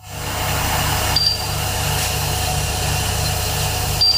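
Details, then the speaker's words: Heat pump running at full output after charging, stabilized at 5° superheat and 2.2 subcooling; steady even hum with soft low pulsing drone and faint beeps, compressor running smoothly, normal operation. "So, gentlemen, the system has stabilized. We have 5° of super heat and 2.2 of subcooling."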